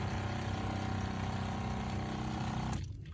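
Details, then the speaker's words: Shurflo 2088-403-144 RV water pump after DIY super-glue fix of freeze damage that kept it running continuously: steady pulsing drone about four beats a second, then cleanly cuts off once the line pressurizes; pressure switch working normally. "you see that this thing is pumping you can kind of see water flowing through just going Gadget as soon as it pressurizes it'll stop"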